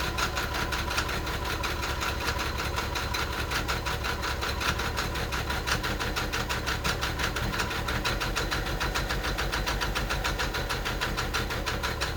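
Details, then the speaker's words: Mercedes 300SE with replaced injectors, hard start in cold weather, battery possibly weak: busy uneven clatter and ragged shaking idle during warm-up; owner suspects fuel distributor, its electronic part, or fuel pressure regulator; noise unidentified. "well I'm going to let it sit there and warm up a little bit I don't know what that noise is in fact let me pop the hood"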